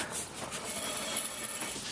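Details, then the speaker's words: 1996 Honda van, rear passenger-side wheel turned by hand with the car raised: dry, hissy metallic scrape with resistance that swells and fades with rotation, absent on the driver side; worn rear brake pads scraping the rotor. "You see, as I turn that, a bit of resistance, and you can hear that scraping noise."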